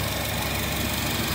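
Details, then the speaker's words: 2007 Nissan Versa with a new A/C compressor that wasn't working until a blown fuse was replaced: steady idle hum with an even compressor drone, the clutch engaged and the lines icy. A/C compressor running normally. "yes I can tell here the compressor is engaged there a different from here down there"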